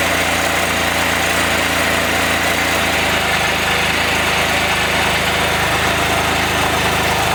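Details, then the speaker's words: Can-Am Spyder first start after donor engine swap and reassembly, cold with snow on ground, oil and antifreeze topped off; even idle with loud raspy hiss over low rumble, owner suspects an exhaust leak. "so let's see if she fires up and just like that sounds like I might have an exhaust leak"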